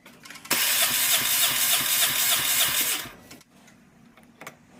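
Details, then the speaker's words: Dodge Caliber with codes P0301/P0300 for misfires on cylinders 1 and 4: steady, uneven cranking with no firing. Compression reads 115, 175, 165 and 145 psi, so cylinders 1 and 4 are below minimum. "Starting from this side, it was 115 psi, 175, 165, and 145. These two right here are really low. Actually, all of them are way below, but the 1 and 4 are below minimum."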